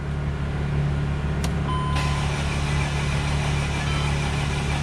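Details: 2008 Mercedes-Benz Sprinter no-start on a jump pack; steady low cranking, engine almost catching before dropping back, not firing; crank no-start, nearly firing.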